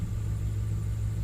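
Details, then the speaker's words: 2009–2012 Ford F-150 at idle after fixing a broken wire to primary coil D that caused a misfire (code P0354); deep, even low rumble, steady with no stumble or skip, smooth healthy idle after repair. "oh yeah it's nice and smooth now i can't believe all because of that broken wire"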